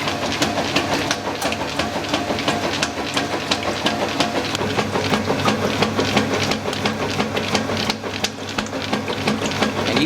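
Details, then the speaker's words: 1996 Whirlpool direct-drive washer on normal cycle with a load of towels, cold weather: agitating with steady back-and-forth gear chatter, about three strokes a second, running evenly; normal agitation with gear noise. "really hear those gears going come down here"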